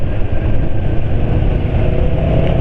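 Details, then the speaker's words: Motorcycle engine on 100% Mesran SI40 oil with no additives, 80 km since the change, riding at 40–50 km/h. A steady smooth drone under wind and road noise, with no piston-slap rattle or buzz. The engine is running normally. "Jadi dalam kondisi 100% Mesran SI40 tanpa campuran apa-apa, suara ter-ternya itu nggak ada."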